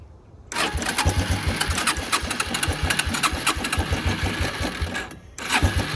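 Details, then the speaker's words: Suzuki Quad Runner LT160 ATV single cylinder, running on brake cleaner sprayed into the air intake: runs ragged about five seconds, then stumbles and dies, so spark is present; fuel in the tank but owner suspects none reaching the engine, needs a carburetor clean. "The next step here, I think, is going to be clean the carburetor, so we have fuel. don't think we have any fuel getting to it."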